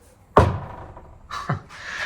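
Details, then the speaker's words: Audi Q8 e-tron, rattle heard over bumpy concrete road with no audio playing: two dull, hollow knocks as a loose washer fluid hose to the sprayers is struck and slaps against the body. "It's actually, you see, what it turns out it is this hose."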